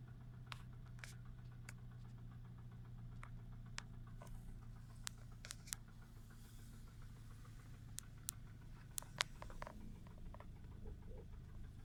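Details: 2009 VW 1.4 TSI twincharged (CAVD) petrol engine at cold start idle, with a new timing chain set and new 5W-40 oil: low rumble with irregular sharp ticks and knocks, two or three a second.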